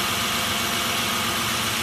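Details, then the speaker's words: Mitsubishi Nativa (Pajero) V6 idling after resetting out-of-time timing belt that had kept it cranking without starting for almost 2 years despite good fuel and spark; steady, even idle with smooth hum, no stumbles or knocks. "What is the process? Due to out of timing. If I did not recheck the timing, I couldn't start the engine."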